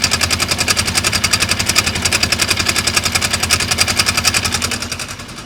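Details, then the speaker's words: 2015 Polaris RZR 900 at idle before primary clutch replacement: loud fast engine beat with crisp steady clicking, three or four per second; owner suspects worn primary clutch rollers or flat-spotted weights. "So, if you guys can hear, I know it's loud, but you'll hear that clicking noise."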